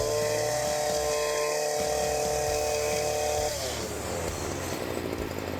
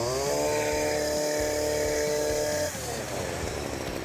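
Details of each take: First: STIHL FS40C two-stroke lawn trimmer running after a gas-leak repair (failed tank vent): steady buzz that sags and turns ragged, an erratic idle that sounds like it will die; carburetor clean or replacement to be recommended, cause unconfirmed. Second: STIHL FS40C trimmer after fixing a gas leak from a failed tank vent and tweaking the carburetor adjustment: high buzzing rev drops cleanly to an even two-stroke idle without stalling or hunting; a carb clean or new carburetor may still be recommended.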